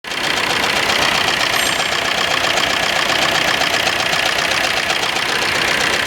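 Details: Suzuki Ertiga diesel engine: tight, fast clatter with an uneven, stumbling beat; engine misfire.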